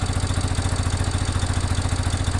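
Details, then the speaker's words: 1987 Yamaha Big Bear 350cc 4x4 fire-burned quad: steady even single-cylinder thump at fast idle, no knocks or misses; normal idle, though wiring hanging on exhaust was melting and oil leaks from timing chain cap gasket. "I'm just listening to this motor sounds good I'm also watching to make sure it doesn't catch fire"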